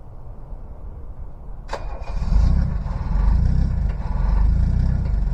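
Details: Diesel cold start in cold weather after two glow-plug cycles: cranks, catches near two seconds, then clattery cold idle with slow surges as the missing cylinder catches and all cylinders fire.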